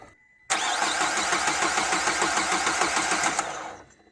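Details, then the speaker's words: Renault Duster diesel parked four days and not starting, cranked after the glow plugs were replaced: the starter spins fast and evenly for about three seconds without firing; a dust-choked high-pressure fuel pump was later repaired; crank, no start. "no bro something else problem is there"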